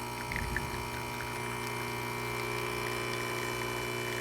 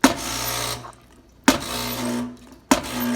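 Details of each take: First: Rocket espresso machine at its initial test before service, pulling a shot at nine bars: a steady, even pump hum with a constant tone and no surging or rattle. Normal pump operation. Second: Rocket espresso machine on initial test before service: each steam lever pull gives a sharp pop then a hissing rush of steam; internal steam valves need fixing.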